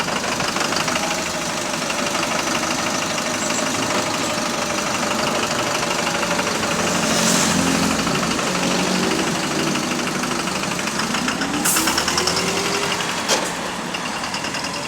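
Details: AL HV48 bus on route 335, diesel running with a loud, steady rod knock of about three beats a second under the engine note; cause suspected, not confirmed.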